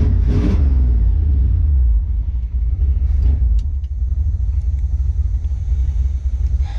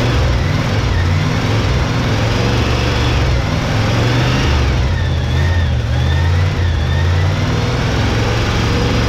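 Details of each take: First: 1971 Chevy K10 4x4 pickup, small-block 350 V8, just restarted after sitting 10 years, choke on, smoking, fuel leaking: steady idle, no ticking or clatter; valvetrain quiet and healthy. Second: 1971 Chevy K10 4x4 pickup, 350 small-block V8 with carburetor, revived after sitting ~10 years, cold, choke on, carb gasket leaking: deep, lumpy idle sitting low and slightly uneven but self-sustaining; low rough idle, owner suspects old gas.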